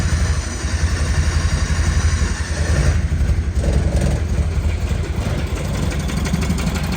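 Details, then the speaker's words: 1972 Honda N600 converted to fuel injection, first start: low, uneven two-cylinder idle that stumbles and surges instead of beating evenly; running rough, cause not yet sorted. "he not the smoothest but she's alive you got to feel good about that right now I feel good about that"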